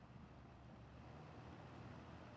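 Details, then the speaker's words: Toastmaster 14-inch mini box fan after cleaning and oiling its bearings with Zoom spout oil: quiet, even rush of air over a soft low hum, with no rattle or ticking and no wobble; normal running. "monster. This thing's not moving all over the place either. This is not moving at all and it's not rattling."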